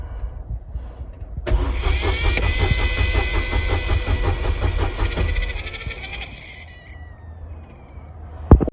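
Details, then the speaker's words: Corsa B 1.0 petrol 16-valve, cranking: about four seconds of even starter cranking, roughly two turns a second, that dies without catching; faulty fuel pump relay not passing enough current to the pump. "não pega mas tem pressão ó o problema essa pecinha aqui"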